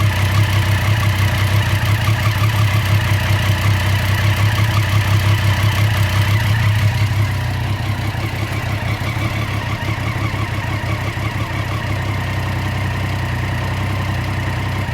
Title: 2014 Street Triple R - Irregular/Rough Idle?